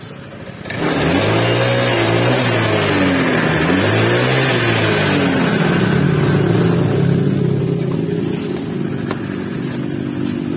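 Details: Honda Vario 150 scooter, complaint of rough engine hissing like a cobra, after repair and reset: engine picks up cleanly on each throttle blip and settles smoothly, no hiss, rattle or hesitation; healthy.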